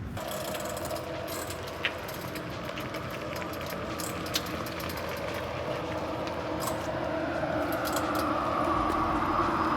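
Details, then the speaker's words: Rivian R1T electric truck while driving; a faint rising whine climbs over road noise and grows stronger whenever regenerative braking kicks in, an odd drivetrain noise under regen. "my pet peeve is when things squeak do you hear that whenever the whenever the regen breaking kicks in"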